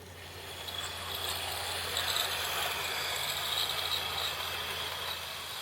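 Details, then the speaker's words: Hornby R2701 Class 43 HST model, DC-ready chips, before decoder fitting, at its slowest DC speed on an old Hornby DC controller: soft steady motor hum, light even wheel ticking, very smooth and slow. "Not everybody's going to fit decoders and run under DCC, so here's the Class 43's slowest speed on DC. Very smooth, very slow."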